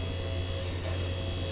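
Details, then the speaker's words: QuickJack BL-7000EXT lift, first pressurizing of the hydraulic system with no load: steady low hum with an even motor whir, no knocking or rattling; pump running normally, fluid starting to reach the cylinders. "All right, so moment of truth, we're gonna pressurize the system, see what happens. So you hear the pump going on, sounding good so far."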